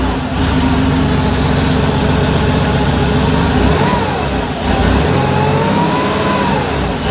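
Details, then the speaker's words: Rebuilt Porsche 911 3.2 Carrera engine on a run stand, second or third start, cold, in 34°C heat. Smooth, steady flat-six idle with a mellow burble from the Monty muffler and light blips; slightly rich on cold start, no smoke. Normal idle. "That Monty muffler sounds fantastic. It's got a little bit of a note to it, but it's not obnoxious at all."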